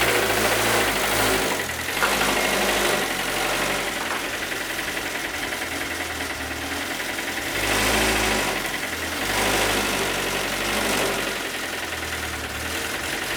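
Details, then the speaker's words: 2007 Lotus Exige track car, about 80,000 miles, with rod bearings spun on a track day, idling roughly while being moved to its spot. An uneven rod knock about three per second; the engine is done. "we're going to move it into its spot right now let me try to find a good angle we could probably use the rv as a great platform now maybe you'll hear the rod not from here but"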